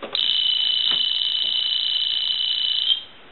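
A steady, high, warbling electronic ring lasting about three seconds, clean and even; the ringer works properly.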